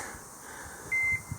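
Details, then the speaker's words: Skid steer just fitted with new tracks: a single short high warning beep over a quiet low engine rumble, an intermittent alarm; the operator says something is wrong and jokes the seat is having hiccups; cause unknown. "was that that thing again there's something wrong in there"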